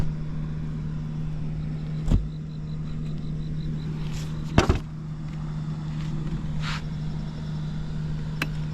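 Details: Vintage Honda Squash AB11 scooter, 12V with electric start: quiet, even idle hum with a steady low tone and a few handling clicks; no abnormal engine noise, healthy.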